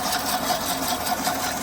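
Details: Gearbox of a fully automatic AMT car (special-case modified vehicle) in drive: steady mid-pitched whir with a fast chattering pulse, about five a second. Transmission fluid reservoir was checked full, so low fluid level is ruled out.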